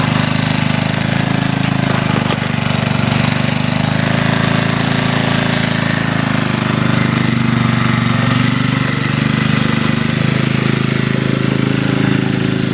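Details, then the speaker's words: 1981 Briggs and Stratton single-cylinder on a garden tiller, after a carburetor rebuild, air cleaner off, checked for leaks: busy, even putter holding a steady speed throughout with no misses or surging. Runs well. "and there you have it you know it runs pretty good 1981 thinks 40 years old and purrs like a kid"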